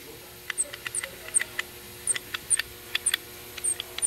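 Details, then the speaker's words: 2017 Chevy Silverado 6.2L with P2101 throttle actuator position performance code, low power and check engine light: throttle blade moved gently by hand gives short high-pitched squeaks in uneven bursts, about three a second, seemingly from the throttle body actuator motor; cause suspected, not confirmed. "sounds like it's coming out of the motor itself so I could pop these tangs off these tabs and take a peek in there"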